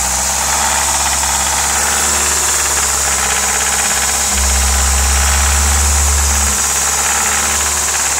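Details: Audi S3 1.8T 20-valve turbo at idle, loud, with a fairly regular metallic rattle of about three to four beats a second; the source is unidentified.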